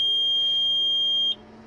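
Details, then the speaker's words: Respironics EverFlo oxygen concentrator at power-on: steady high-pitched alarm tone for about a second over faint fan noise; the dirty compressor fails to start and is being replaced. "The compressor is really dirty, and it's not kicking on. You see the fan runs, but the compressor does not kick on."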